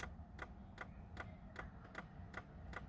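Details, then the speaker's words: Stock 2003 Ford Mustang V6 manual, start attempt: quiet sharp clicks about two and a half a second, no cranking; owner thinks battery is dead, tries a tender, says it sounds almost like a fuse blowing, cause unclear. "i think the battery's dead actually hmm interesting let me put the tender on and see what it'll do"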